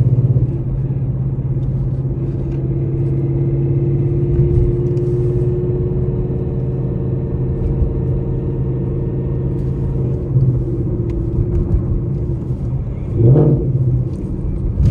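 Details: Ford Mustang GT, 800 whp, stage 3 transmission with built straight-cut gears, pulling from a stop in first while still a little cold: deep engine rumble with a steady gear whine underneath; normal straight-cut gear whine.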